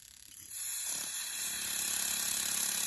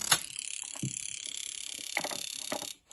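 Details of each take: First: Jaguar XJ12 Coupe fuel injector removed from the rail and pulsed on a bench tester: a quick steady tick over a spray hiss. The spray started as a thin jet to one side, then evened out, so the injector is possibly gummed up. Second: Jaguar XJ12 Coupe fuel injector removed from the rail, on an injector tester in continuous mode: rapid, even clicking with a hissing spray for about three seconds, opening and closing cleanly with a nice mist.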